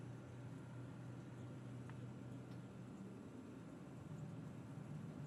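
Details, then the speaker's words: Subaru Forester at idle after replacing a failed, loud Valeo A/C compressor: only a low steady hum, no rattle or grinding; new compressor running quietly and normally. "And we got our new compressor running. Quiet as can be compared to the old one."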